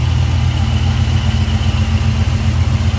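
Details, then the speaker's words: 1976 Pontiac Trans Am, numbers-matching 400 V8 with EFI and aluminium radiator; deep, even rumble with a steady lope and no knocks or misses; clean, healthy idle. "clean, tidy, looks good, sounds good."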